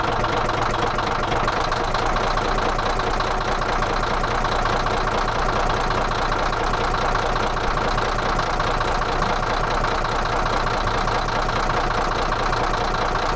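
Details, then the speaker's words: D9H dozer diesel at idle: hard, rattling knock riding steadily on the rumble about every half second; engine knock at idle, cause not confirmed. "Do you want to hear this thing rattle? It rattles bad."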